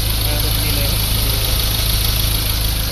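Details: Ford Ranger diesel after a new tensioner bearing was fitted: it idles smoothly with a steady low thrum and no squeal, rattle or grinding.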